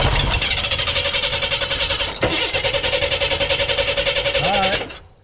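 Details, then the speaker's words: Abandoned 1988 Chevy S10 Blazer: even starter cranking at about three or four pulses a second, engine never catches; no fuel squirting into the carburetor bowl, fuel pump believed dead after briefly running. "see it weren't squirting nothing anymore and I don't hear fuel in the bowl anymore the fuel pump I'm pretty sure is shot"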